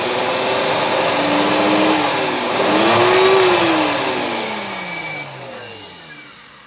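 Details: Blender motor whine sags, rises, then fades instead of holding steady, cutting in and out; faulty button suspected, not confirmed.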